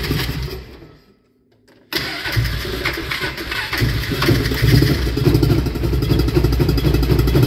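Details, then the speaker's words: 1999 Polaris Ranger 500 6x6 (center wheels removed) starts after extended crank, runs on light throttle, but at wide-open throttle stumbles and surges with loss of power and backfiring, only about 5–10 mph; traced to a worn camshaft. "if I do light throttle I could drive this around and I've been using it but if I do wide open it's just stumbling loss of power"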